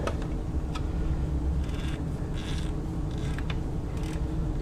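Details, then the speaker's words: 1960s Japanese-made White 600 zigzag sewing machine, about 60 years old and stiff, needle removed, hand-turned before oiling: slow dry rasping and creaking with odd clicks; rough stiff mechanism, likely just needs oil. "doesn't sound great right now as I turn it but I'm going to guess it just needs a little bit"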